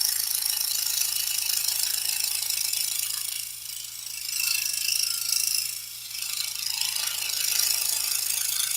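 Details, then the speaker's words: Scroll saw cutting an oversized 37 x 23 7/8 inch workpiece steered from its outer edge, hands away from the blade; fast, light, high-pitched metallic chatter that lessens as the hands move closer to stabilize the piece. "And you'll hear that chatter reduced. That's just because we're cutting a piece that's so large."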